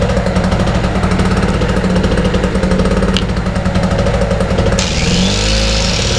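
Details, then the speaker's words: Wolf 950 small generator from a job lot, first run after fuel on and choke set, nothing plugged in: rapid, busy two-stroke chatter whose speed drifts slightly up and down. Mild engine hunting at no load, said to be typical of these. "it's got a little bit of a hunt to it a little tiny bit of a hunt to it nothing massive but these do they do tend to hunt when they're not under load"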